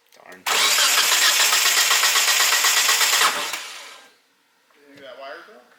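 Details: 1G GSX AWD big-turbo build cranked after two touching, possibly grounding wires were taped. It briefly catches with a rough, uneven roar for about three seconds, then dies; misfiring, and the coil pairing or wiring is suspected.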